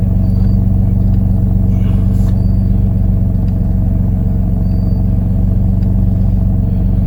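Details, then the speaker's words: 2004 Nissan Maxima that runs then dies, codes cleared, engine running: steady even drone well above normal warm idle, a high idle. Scan shows idle speed control and P0726 engine speed input circuit range/performance; no crankshaft sensor code. Cause unconfirmed. "she's still idling too high so we still have idle speed control system engine speed input circuit range performance 10 electronic throttle control huh po726 that's interesting"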